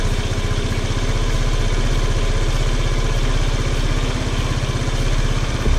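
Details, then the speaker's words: 150cc GY6 scooter running as it should: even, steady single-cylinder putter with a regular beat, no misses or stumbles; normal clean idle, easy start, no smoke. "i'll go ahead and start it up for you so you can hear what it sounds like when how it's really supposed to sound and how easily it starts up"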